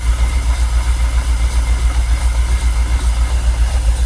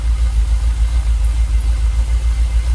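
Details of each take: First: Jaguar XKR, fuel pumps dormant ten years, fuel pressure gauge reading 45 psi: low idle with uneven, lumpy throbbing about three to four a second, engine visibly shaking and not happy; rough idle, cause not yet pinned down. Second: Jaguar XKR, fuel pressure steady at 45 psi so pumps ruled out, idling about 800 rpm: low, steady, even rumble with no misses or stumbles; smooth idle, though it usually stalls after a few minutes.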